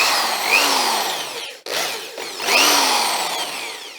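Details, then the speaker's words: Vintage electric drill after passing the safety test: the motor winds up and back down in a clean, rising and falling whine with no grinding or rattle; healthy. "now I can put a tag on it easily get $10 for that and it sounds like it's got plenty of"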